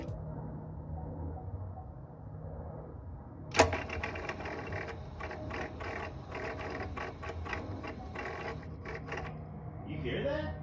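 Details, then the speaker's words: Chevy SS supercharged LS engine with Katech 103mm throttle body, mostly on cold start at key-on/idle: quick irregular clicking/popping chatter from the throttle body opening and closing rapidly, first suspected supercharger; fixed by reverting to stock LS3 throttle body. "the sound was pretty much coming from right in this area so the first thing i thought of was okay something's going on with maybe the supercharger um but then i really started paying attention to it a little bit more and it was essentially it was coming straight from the throttle body"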